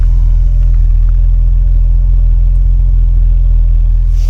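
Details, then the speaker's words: BMW E30 Touring, 176,619 on the odometer, cold start, sport-style exhaust: deep, steady, throaty rumble with even firing and no knocks or misses; sounds really good, a normal idle. "Sounds really good. So it's running great."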